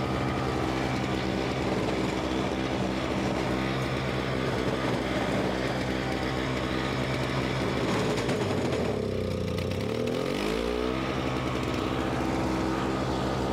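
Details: Simplicity 520 single-stage snowblower (5 hp, 20 in), second start on choke: steady small-engine drone sags hard in pitch when the auger takes load, then claws back up; owner suspects the carburetor.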